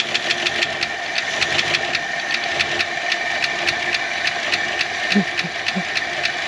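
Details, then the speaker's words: 1968 Ford Galaxie XL V8 running for the first time after 38 years parked, new gasket fitted: slow, lumpy idle with steady light lifter ticking and no knocking; idle speed set too low and needs turning up. "turn that idle up just a bit it's mostly on this one side"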